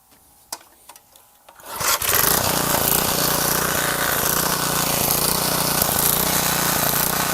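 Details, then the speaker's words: Garage-sale gas edger small engine, carburetor refitted, choke on: a few clicks, then it catches and settles into a fairly steady buzz after the fully-in fuel-air mixture screw was backed out about 1.5 turns; still needs fine tuning. Rough running from lean mixture. "That fuel air mixture screw, it was just all the way in. So I backed that out. Still needs a little fine tuning if you ask me, but I can still look at that."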